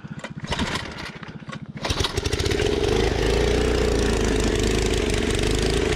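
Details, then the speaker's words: 1980s MTD mini bike with Tillotson 212cc engine climbing a hill at high altitude: it sounded bad and stalled; several quick cranking pulls chug without firing, then it catches and runs steadily but slightly unevenly. Hard restart, cause not stated. "oh he's having to run next to it already running next to it oh it sounds bad it did it did stall oh boy it died"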